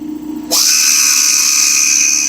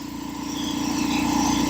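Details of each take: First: Old revived air compressor: a rush of released air, then a steady, even mid-pitched drone as the pump runs continuously and holds pressure under use. Normal running under load. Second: Old air compressor revived after sitting, running and building pressure, cutting out near 135-140 psi: steady pumping beat with light quick rattle building slightly; no air leaks heard, rattle source unknown, fittings to be checked for tightness.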